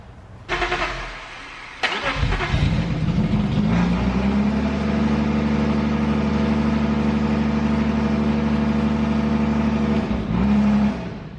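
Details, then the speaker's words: BMW E34 restored after blower motor fire: brief crank, catches near two seconds, steady very loud raw idle indoors; loud running without exhaust fitted, runs solid. "Oh my God, I'm gonna have to go get the exhaust, but she fired up. It actually sounds like it runs pretty solid."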